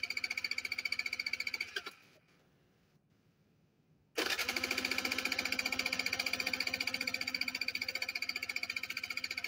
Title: my bike wont start :c